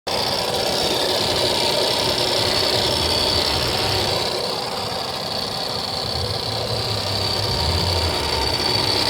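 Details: BMW E93 335i petrol engine idling after cold start: fast, light ticking over a busy, hissy running sound. Engine ticking after cold start, cause unknown.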